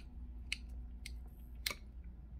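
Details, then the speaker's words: Ruifeiya NR-200 model engine with glow plug, won't fire and dumps fuel, turned over slowly by hand in quiet room: sharp irregular clicks about once per rotation; owner unsure if normal. "so it's if you hear that's making some pretty awful clicking noises again there's not too many people that have done these engines um and i'm one of the first so i'm not sure if that's normal"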